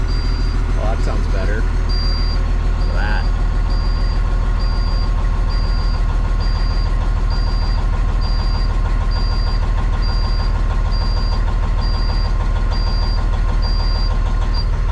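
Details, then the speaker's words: Cabover truck with a Detroit 60 Series diesel swapped in, first start after fire repair: heavy, even idle holding a steady rhythm, no knocks or misfires; left idling to warm up, check engine light from unconnected items. "Let's just let her idle away and uh warm up."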